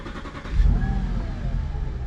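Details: Audi A6 Allroad 4.2 FSI, started after an oil and all-filters service and a replaced fuel line, with the fuel pump primed. Short crank, then it catches into a low, steady idle with no stumbling.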